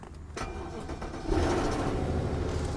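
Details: Cheap BMW 750Li with N63 twin-turbo V8, started on a jump start after a dead battery: it catches into a rough, uneven run with an irregular low thrum and a little smoke; cause unknown.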